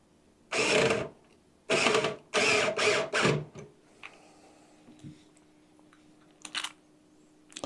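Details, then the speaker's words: Electric screwdriver set to torque 18 fastening PC case screws during an Intel 12th-gen build: short bursts of harsh, rapid ratcheting as its clutch slips at the set torque limit; normal, sounds like stripping a screw. "The sound that this makes kind of sounds the same when it grounds out to like when it pops or starts stripping a screw."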